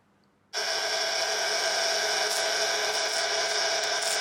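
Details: 1930s Carl Haider violet ray machine, restored with replaced capacitor, comb electrode fitted: sudden steady hissing electrical buzz holding evenly; discharging strongly and working properly.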